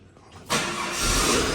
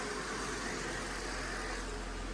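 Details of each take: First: Holden WH Statesman L67 supercharged V6, M90 supercharger 5% overdriven: coarse rumble from the supercharger front at and just above idle, felt through the car; faulty coupler in the supercharger snout. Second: Holden WH Statesman Series 2 L67 V6 with M90 supercharger, after repairing supercharger rattle from a faulty coupling and refilling the oil: a steady, even idle with a quick rev and no rattle or chatter; normal idle.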